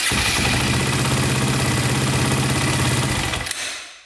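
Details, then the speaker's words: KTM 400/450 EXC single-cylinder dirt bike, fast steady electric-start cranking for about three seconds ending in one sharp click; starts without odd noise, so owner assumes one-way starter bearing is fine, click unexplained, commenters said normal. "can hear that click at the end hopefully that's normal but when you start it up you don't hear anything weird so i'm guessing the one-way bearing is fine yeah there's just a little click i'm not sure what that would be"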